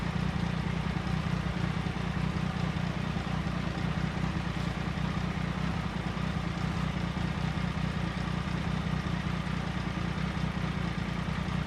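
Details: 1999 Triumph Sprint ST 955, bought cheap for restoration, running after check-up and injector cleaning; low, even idle pulsing at a steady beat with no misses or rattles; the bike is running healthy.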